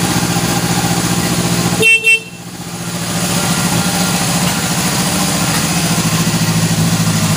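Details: 1977 Honda CB750K four-cylinder motorcycle, after sitting for years with gas left in the carburetors for 6 years: a short horn toot, then a steady, even idle with no misses or knocks; normal idle.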